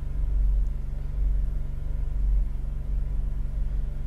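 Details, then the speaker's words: Holden Captiva V6 that cranks but won't idle, held at raised rpm during a power balance test: a deep, lumpy rumble surging about once a second, with cylinders 2, 4 and 6 dead, so one whole bank is misfiring. "so we've lost two four and six that's proved by this Power Balance check that we've just done"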